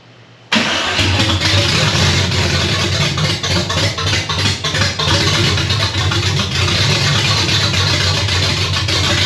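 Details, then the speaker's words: 1965 Chevy Nova wagon, 327 small block on open headers, first start: catches at once, runs loud and ragged with uneven firing on hand-poured fuel; not picking up any fuel, owner suspects the fuel pump failed. "still not picking up any fuel wonder why we're not picking up any fuel none at all"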